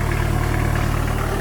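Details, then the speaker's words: Custom off-road Chrysler van running: steady, even low rumble with a loud, open exhaust note but no knocks or misses; the engine idles healthy. "donc voilà il faut montrer que ça tournait bien"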